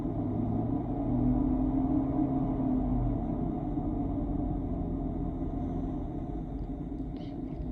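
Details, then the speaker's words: 2007 Infiniti M45 Sport, 4.5L VK45DE V8, recent water pump and belts: deep V8 drone heard from inside the cabin with a coarse, rough, scratchy edge under light acceleration, no codes or hesitation; owner suspects worn timing chain guides, unconfirmed. "when I'm giving it some gas you know when I'm accelerating it just sounds really rough and scratchy now it's not throwing any engine codes or anything like that"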